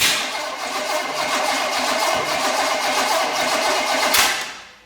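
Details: Small block Chevy engine of unknown condition, fuel squirted into carburetor: rough loud churning about four seconds, sharp backfire pop near the end, then dies; fires but won't keep running, compression to be checked.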